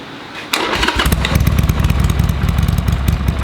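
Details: Harley-Davidson Sportster 883 barn find that sat over 20 years, fresh oil and filter, temporary carburetor fitted: catches and settles into loping V-twin idle with deep thump, running steadily; normal idle. A loose part later found causing a ticking on revs.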